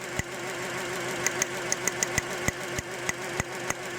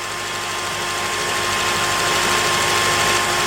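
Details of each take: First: 2006 Honda Element after engine rebuild and reinstall, idle: sharp uneven ticks and stumbles about three a second; unplugging number two changes nothing while the coil sparks, owner suspects bad injector; misfire at idle. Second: 2006 Honda Element after engine reassembly and a fuel injector swap: smooth, even idle with steady pitch and no stumbles or skips; firing cleanly on all cylinders, fixed.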